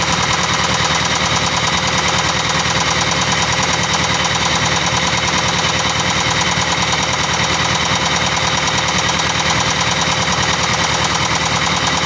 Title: Engine Knocking : Penyebabnya ??